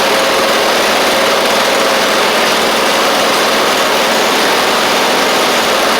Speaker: one more little more throttle here sounds pretty decent that's pretty [Music] good pretty sure that's great